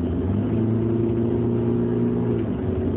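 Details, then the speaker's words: 2020 Chevrolet Colorado Z71 2.8L Duramax diesel at ~25,500 miles under hard acceleration: steady tonal whine over the rumble, began 5–6 weeks earlier after cold weather, also when revving in neutral; owner suspects the turbo, unconfirmed. "the most recent con that's been going on for a little bit more than a month now is this whining noise which I believe is the turbocharger when I accelerate"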